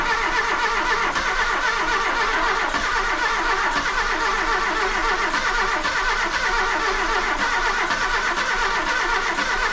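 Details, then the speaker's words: VW Golf II carburettor petrol engine just after full carburettor rebuild: catches and keeps running with a steady, even note under cheering, no misses; slight white smoke, manifold leaks, owner believes fuel was the earlier no-start cause; normal running. "fume un peu blanc mais ça va tour super bien je trouve le bol 200 chevaux"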